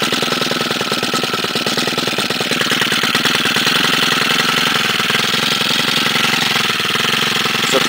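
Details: 2011 STIHL FS90R 28 cc four-stroke trimmer, primed before starting: buzzing at steady high rev with crisp even firing rhythm; normal running.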